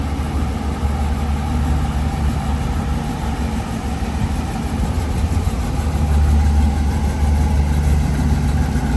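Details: 1973 Chevrolet Camaro LT with a 396 big-block and Turbo 400, turnkey. Deep, steady, slightly lumpy idle with even firing and a small rise in revs; normal idle.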